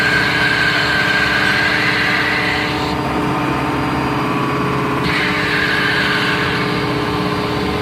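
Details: Rebuilt John Deere hydraulic pump on test bench, oil at 20 °C: 30 litres flow at 0 and 200 bar, no loss, relief valve at 200 holds pressure; steady drone with brief tone drop as pressure changes, no whine or rattle.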